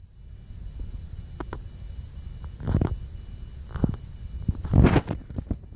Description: TZ77XE4 mainboard(Made by BIOSTAR, Taiwan) has beeping since last thursday. I think my Intel CPU has some problem.